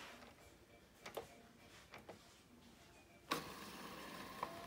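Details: 4Moms MamaRoo bassinet after repair with super-glued spacer nuts holding the shield off the lower mechanism: a few light clicks, then the motor runs with a steady, quiet whir and no squeak.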